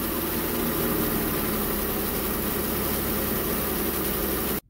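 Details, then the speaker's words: 2016 Jeep Wrangler 3.6L Pentastar, primed after a week with a Baxter oil filter adapter and Wix filter installed: loud clatter for about 1.5 seconds at start-up, likely less than before; dry-start clatter not fully eliminated. "there you have it guys it's still clatters a little bit um it clatters for about a second and a half which is probably an improvement from what it was before"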